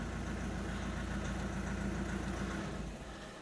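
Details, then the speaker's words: Opel Astra H 1.7 CDTI diesel, after the engine control unit was replaced and flashed, with DPF and EGR removed; earlier hunting idle is gone. Regular diesel clatter at about 210 pulses per minute, constant with no rise and fall; steady idle. "Все працює. Навіть перестали плавать обороти."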